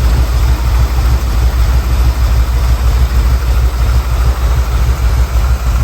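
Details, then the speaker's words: 1979 Ford Bronco, 351M V8, first start after new plugs: deep idle burble with an uneven, lumpy pulse that never smooths out. Rough idle, carb tuning needed. "Rough idle, need to fine tune that. But she lives. Super freaking excited."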